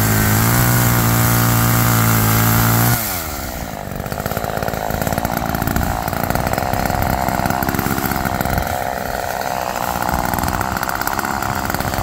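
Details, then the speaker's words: Roadside-found Homelite chainsaw after carburetor rework, cold-started after sitting, cutting wood outdoors in wind: high steady revving, then a bogging, pulsing drone as the chain bites; pulls strongly. Chain well oiled; owner suspects slightly rich running, bogging in larger logs. "all right well that was a pleasant surprise a nice little machine and cut really well actually the chain is wet so it's getting oiled nicely"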